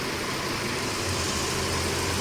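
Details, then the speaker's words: Mercedes-Benz W204/W212 four-cylinder running on three cylinders with weak pickup, heard at idle with bonnet open: uneven lumpy idle, engine visibly shaking at the air filter side. Engine misfire, rough idle. "और जो engine है ना वो कांप रहा है हिल रहा है वो एयर फिल्टर साइड आप देख सकते हैं"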